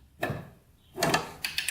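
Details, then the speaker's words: Old dirt bike, possibly a 1981 (year unconfirmed), being kicked over; a few loose metallic clunks and ratcheting clicks sound clanky inside, cause unknown, and the engine is to be torn down. "a little clanky in there it sounds like we'll be taking this all apart today and trying to get this bike to run"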